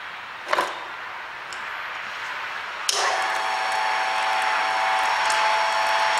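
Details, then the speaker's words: Hobart A200 food mixer after repair: a soft click, then the motor comes in with a steady, even hum and no knocking or grinding from the gears; normal running, fixed. "when I turn it on now, I don't know if you can see this, but it does what it's supposed to do. So I think it's fixed."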